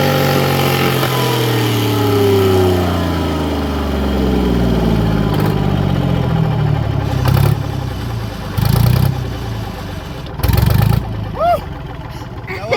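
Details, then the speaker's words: 1963 Chamberlain Super 90 tractor with a 3-cylinder two-stroke supercharged GM Detroit diesel, first start after years parked, using starting fluid: the engine screams up high in a brief runaway, then the pitch winds down with uneven bursts as it is shut down; thought to be okay. "It had a bit of a runaway, didn't it, mate? Yeah. Just a little rev up. But we managed to shut it down, and I think it's all okay, and it survived with another day still."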